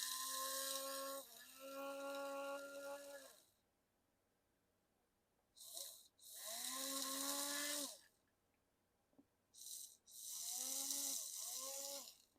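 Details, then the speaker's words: HO scale Lionel GP30 locomotive motor, leads connected directly, controller at full power, model lying on its side: bursts of thin buzzy hum settling to an even pitch; some noise from its position, motor runs normally. "A lot of that noise is just kind of because it's sitting on its side, but that definitely seems really good."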